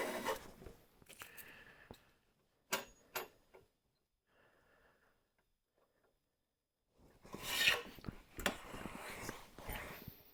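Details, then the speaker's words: Stanley hand plane, seldom used, compared against a WoodRiver: each stroke gives a rough, stuttering rasp instead of a clean hiss; the blade chatters, is hard to fine-tune and won't pull a smooth shaving. "It's hard to fine tune it. It's hard to pull a shaving off of it. Did you hear that chatter? That's that blade."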